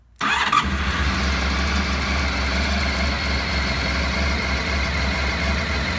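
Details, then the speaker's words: Honda RC30 VFR750R V4 after a complete engine overhaul (camshaft drive train, bearings, crankshaft with worn sprocket, cam drive gear, broken camshaft and gaskets replaced). Cold start on a little choke: starter catches, then a steady, even idle with no rattles or misfires. Normal. "Engine is right cool, just started it, with a little choke in it, runs very smooth, idle, stable."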